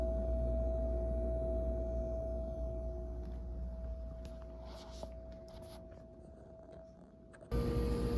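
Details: Whirlpool refrigerator, comparing the display unit's sound at Lowe's with the unit delivered home: a steady, fairly high-pitched continuous hum under a quiet room background; noisier than it should be.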